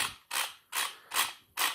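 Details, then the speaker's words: Starter from a 1997 BMW 523i E39, removed from the car and run on the bench: short whirring bursts with no engagement. The large plastic gear is broken, so the starter spins without driving the pinion. "Donc puisque il n'entraîne plus le pignon ici, étant donné que les trois roues euh la grande roue en plastique, il est cassée."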